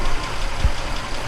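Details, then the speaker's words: Audi S6 bought from Copart, first start after new turbo install, run briefly with no coolant: an even, steady low idle rumble with no knocking or stumbling, running smoothly. "Wow absolutely purring that is amazing get that unhooked check that out it's alive and"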